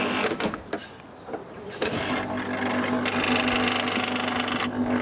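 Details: 1981 Brandt dishwasher: after some clatter the main wash pump motor settles into a steady hum with a rough, buzzy edge; worn rear bearing, drain pump also needs a new seal.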